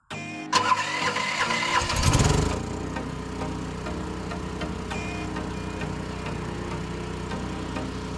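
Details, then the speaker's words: LS15R mini excavator converted to tri-fuel with a Motor Snorkel kit, first start on propane: short crank that needs prime, then catches quickly into an even, steady idle with no misses; running fine. "So far, initial startup seems great."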